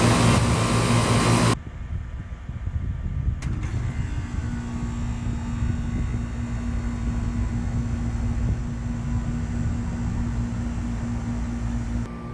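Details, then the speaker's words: 1995 Tempstar 5000 central AC with a Copeland reciprocating compressor, first startup of 2024 in its 29th season, 87°F outside. A clean start at about 3.5 seconds, then a smooth, even hum with a faint tone and no rattles or strain. Normal startup. "so yeah this is going to be the first startup of my 1995 Tempstar 5000 air conditioner for the beginning of cooling season of 2024 here we go"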